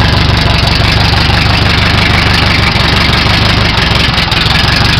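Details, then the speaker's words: 1929 Henderson KJ motorcycle, left-hand spark advance turned down to retard timing, in gear with clutch in: low even exhaust beat about three pulses a second, engine slows to a lazy steady idle; normal slow idle with spark retarded. "Got the spark advance on the left-hand side, so I'll turn that down. You can hear the engine change. It's being retarded now at this point. Slows the engine down."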